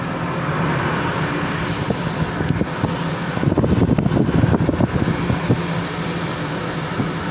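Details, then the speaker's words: Redwing 34 trawler air-conditioner unit under the floor, fins protected: steady fan-like hum and rushing air with a rougher, louder stretch midway; noisier than it should be. "This is the air conditioner. I added the um so it didn't you know bend the fins. You can hear the the noisy one."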